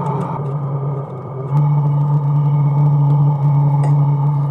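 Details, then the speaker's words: Chinese diesel heater in portable aluminum box, set down to 8 °C: fan and burner slowing toward minimum state, low steady hum with slight step in level; normal minimum-output running. "you can hear it cooling down now because i've got it set for eight degrees celsius so the fan is slowing down and the burner and everything is slowing down so it'll just go to a minimum state"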